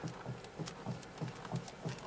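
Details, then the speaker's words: Vehicle running so power steering works, front wheel rocked left and right fast: rhythmic low clicks, about three a second, from a worn outer tie rod end. "as you can see we are going to move it now a left and right fast and you're going to hear a clicking sound now as a first step okay"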